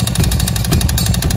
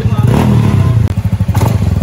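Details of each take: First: Honda Beat Deluxe scooter arriving for a 140 cc bore-up with full BRT parts, running very noisy before the work: loud harsh rapid clattering slap over the running engine, attributed to a worn, loose cylinder liner. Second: Honda Beat Deluxe bored up to 140 cc with full BRT parts, previously worn noisy liner, first test run after rebuild before TPS/ECU calibration: steady, even putt-putt idle with firm regular firing, no knock or rattle; healthy.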